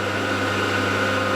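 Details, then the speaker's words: Milling mill gears chatter with a steady hum and rough buzzing edge while taking a full heavy cut on the square of a copper shredder drive shaft; the cut is slow and the owner says it might not work. "Let me take the full cut. You can still hear the gears chattering. Might not work."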